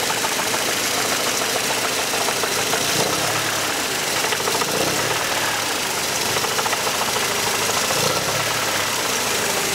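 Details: Mercedes C124 230CE with 2.3 M102 engine: horrible rattling at low revs, loose uneven metallic rattle about three times a second; exhaust, heatshields and flex plate checked and ruled out; bottom-end knock suspected, unconfirmed.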